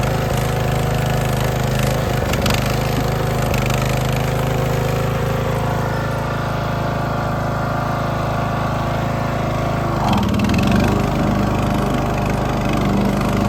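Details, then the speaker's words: Poland XT gear-drive lawn tractor after new spark plug and adjusting the Chinese carburetor's idle and mixture screws: steady single-cylinder drone with smooth idle, no popping or misfire. "I got it tuned up so it's running like a top now the idle is smooth"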